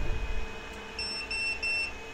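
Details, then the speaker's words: Geeetech Giantarm D200 3D printer with hot end nozzle pulled out: a few quick high-pitched beeps with an air nozzle zero temp, heating element out of order error; the hot end is not making contact, same fault that paused earlier prints. "air nozzle zero temp the heating element is out of order so if you get that message that means that it's not making contact"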